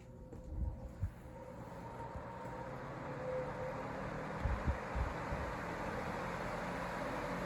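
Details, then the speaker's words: iLIVING 20-inch Turbo High Velocity floor fan on low speed: even airy rush settling into a steady hum with a slight motor whistle, no rattles or ticking; normal, relatively quiet low-speed operation. "it has a pretty nice low speed to it so one thing I like about this relatively quiet I think it's quieter than the Patton fan"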